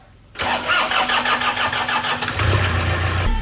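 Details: Toyota Kijang Innova diesel: starter spins the engine normally at about five compressions a second, but it only stumbles and never idles, cranking without starting; suspected fuel-system fault such as injectors, low diesel pressure, dirty fuel filter or air in lines, unconfirmed.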